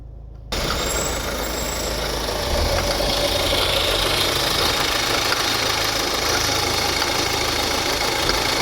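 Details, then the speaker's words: Kia Sportage at 186,900 km, diesel idling: rough, gritty grinding rumble from the front of the engine, with no coolant loss or overheating. The water pump spins loose and sloppy, a worn water pump bearing. "Arkadaşlar şimdi size motorun önünden harıl horul ses geliyor Ne bozuk onu göstereceğim arkadaşlar"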